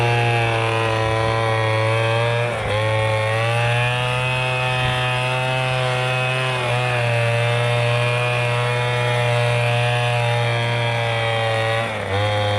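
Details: MTD Bolens BL125 two-stroke leaf blower after carburetor repair and adjustment, previously bogging and not starting: steady even high-pitched drone holding speed without bogging or surging; running healthy.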